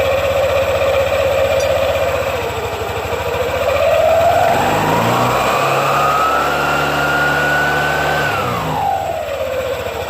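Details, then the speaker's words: Yamaha NMAX/Aerox 155 scooter CVT after fix for judder (gredek) on initial pull, clutch spring tightened: smooth clean rising whine holding steady then dropping, belt and clutch engage without judder; healthy run-up. "Untuk panbelnya dia lebih fresh kita tekan aja seperti ini kita dengarkan nah Sampai bunyi seperti ini berarti nih kenceng ya"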